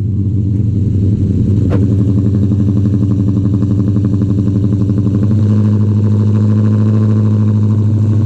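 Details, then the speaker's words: Cammed 2016 Dodge Charger R/T with tuning issues, started in 90-degree weather (not truly cold): loud lumpy idle chopping about 1.5 beats per second, settling lower as idle finds its place; fires right up, significantly louder; normal cammed V8 idle. "it takes a minute to start chopping as like the idle um as the idol kind of finds its place but uh jesus it is significantly louder but it fires right up"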